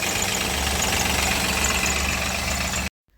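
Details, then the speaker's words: Maruti Suzuki Alto 800 engine idling, heavy belt noise too: quick regular knocking about four per second; engine stalls and seizes while driving, runs somewhat when cold, engine internals black from missed servicing; teardown found play in number two connecting rod, rod knock. "दो number वाला हिल रहा है लेकिन एक number बिल्कुल नहीं हिरला है वह आवाज थी ना व रोड की है कनेक्टिंग का ठीक है"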